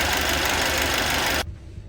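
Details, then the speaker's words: Mercedes M264 petrol engine after all exhaust valve guides were replaced to fix a misfire: steady, even idle hiss and hum, then the sound stops. Fault codes have cleared. "好，给2脚油，听一下声浪，非常完美啊。"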